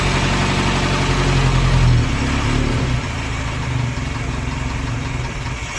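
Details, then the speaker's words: 1930s Morris 8 Series 1 four-cylinder, first start in about five days, now running on fuel from the tank via SU electric pump instead of a temporary funnel feed; steady even idle, then sped up slightly, no misses or knocks. "so that's now running from fuel in the tank which is quite encouraging to speed it up a little bit that's pretty encouraging huh"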